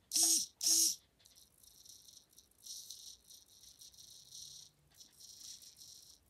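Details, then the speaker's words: RC Reefs Triple 5 (555) steering servo after gear set and top bearing replacement, relubed: two quick, even servo whirs with faint creaking in the background; servo sounds healthy. "other creaking noises my radio servo sounds perfect and it's really good"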